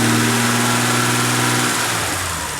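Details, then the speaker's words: BMW 330i E46 (written-off non-runner) revving cleanly after fixes, falling away smoothly with no stumble or misfire, sounding much better than before; mass airflow meter still to be ordered; normal rev. "sounds a lot better yeah those sounds a million times better"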